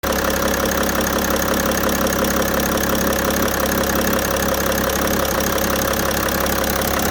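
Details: BMW E60 530d M57D3 diesel idling hard with a repeating knock, close to two per second, over the clatter. Bad engine sound; the cause is unknown and needs further checking.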